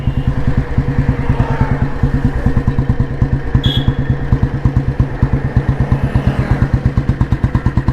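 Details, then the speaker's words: Restored 1986 Royal Enfield Bullet, heavy-crank engine with indoor silencer, exhaust note while ridden slowly at about 30 km/h: slow, even single-cylinder thump, about three beats a second, pulling steadily without a dip or stumble; healthy. "ഇത്രയൊക്കെ വണ്ടി പോയിട്ട് ഒരു dip വരെ അല്ലാതെ വണ്ടി ഇതിൽ നിന്ന് ഇങ്ങനെ എടുത്തിങ്ങനെ പോകുന്നുണ്ട്. 30 സ്പീഡിൽ വണ്ടി ഓടുന്നുണ്ട്."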